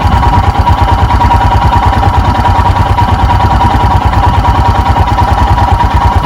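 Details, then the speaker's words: 2021 EFI Royal Enfield Himalayan single-cylinder, cold start with idle lever raised, no throttle: even thump with faint mid tone, idle rising to about 1200 rpm, no ticks or knocks; healthy cold-start fast idle. "resisting the temptation to roll the throttle because i want the oil to splash around inside first i hear the idle sneaking up and there we go we're up around 1200."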